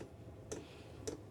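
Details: Chinese diesel heater, wall-mounted in a workshop, still cold and warming up: crisp single ticks about every half second in a quiet room; normal constant dosing pump ticking, speeding up slightly.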